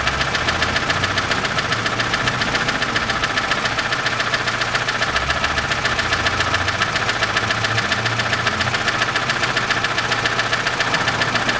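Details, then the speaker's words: 2006 Chevrolet Lanos, 1.5 petrol, manual, 342,000 km, before repair: a sharp, regular valve tick about twice a second over a steady idle, from one valve. It is not the hydraulic lifter; a worn rocker has eaten one side of its camshaft lobe. "только вот будет стучит именно один клапан чуть-чуть на третьем фильме"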